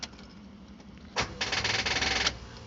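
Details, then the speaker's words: 2006 Jeep Wrangler TJ, manual, suddenly sputtered and died and has not restarted for over a month; camshaft and crankshaft parts, computer and battery replaced, voltage still reads low. Fast raspy ASD relay buzz on cranking with no starter spin; owner suspects the relay is blocking fuel or spark. "that's what happens and the asd relay is making that buzzing noise"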